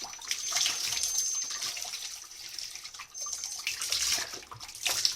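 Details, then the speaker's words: Old Grohe Grohmix thermostatic mixer tap, set to 50° with an instantaneous boiler: thin, high, steady whistle over rushing hot water while the temperature stays correct; scaled cartridge suspected. "alors il siffle mais l'eau elle est toujours à la bonne température il y a juste le problème du du sifflement"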